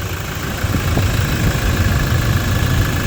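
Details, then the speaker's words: Toyota Innova 2.8 diesel idling after alternator and drive belt replacement: deep, steady, even clatter with no belt squeal or whine; the earlier noise is gone and it runs smooth. "Ayan, okay na mga paps, ano, nawala na nga yung ingay. Smooth na yung pinakatakbo ng makina."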